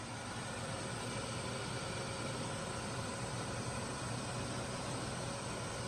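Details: 1985 Ford F-150 4x4 XL, 4.9 L inline six, manual, started after sitting a couple of months, smog pump disconnected: smooth, even idle with steady low rumble, no knocks or misses; a little smoke.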